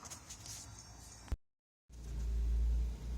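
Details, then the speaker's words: 2002 Nissan Pathfinder after fixing code P0305 cylinder 5 misfire with a new ignition coil and spark plug and erasing the code: steady low idle rumble with no stumble or shaking and no check engine light. "we just erase the code some no more light Chuck stop shaking anymore"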